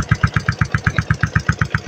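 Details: Yamaha Sniper 135 after bypassing the faulty starter push button and brake light repair: steady single-cylinder putter at about seven even beats a second, no misses or knocks; engine idling cleanly.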